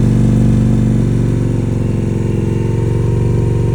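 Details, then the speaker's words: Indian Challenger V-twin at idle after sealing an exhaust pipe leak with high-temp Permatex sealant: steady, even lope with deep regular exhaust pulse, no puffing or ticking; engine healthy. "slid it back on, made sure it was snug, tightened everything down, cranked the bike up, and success."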